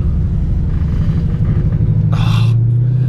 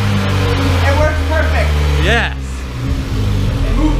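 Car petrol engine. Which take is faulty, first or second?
first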